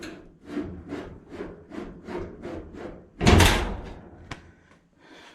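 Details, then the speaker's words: Early Bronco build, driver's side door: short rubbing scrapes as the door swings, then the slam. The door drags on a fender mounted too high; with the fender off it shuts without dragging, and the kick panel/A-pillar needs adjusting. "But without the fender on, the door shuts. There's no right there. Kind of hear the drag. With the fender off, it doesn't do that."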